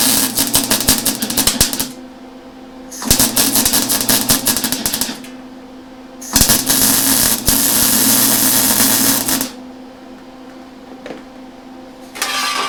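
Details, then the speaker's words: Lincoln Electric Handy MIG running beads: harsh stuttering crackle and choppy popping as wire bounces back; wire feed speed set too high, weld looks poor until slowed down. "Okay, so I did wind up slowing that wire feed down. It was kind of bouncing back on me. You can see here where I had it up too high, and that was just, well, let's face it, it looks like crap."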